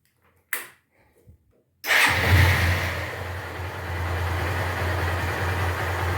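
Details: Honda Titan 150 single after replacing a worn gearbox bearing that caused a loud humming: after short cranking, fires and settles into a smooth, steady idle with no knocks or grinding; normal idle.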